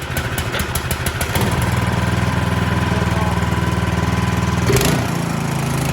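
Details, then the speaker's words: Cub Cadet 2X26 snow blower, 675-WUB engine, after cleaning one carburetor jet, started on choke at half throttle without primer: a few pulls, then a clean catch into a steady, even single-cylinder beat. Normal start and run. "Yeah, so I got this guy back up and running. Didn't need to get too involved with the carburetor other than cleaning out that one jet."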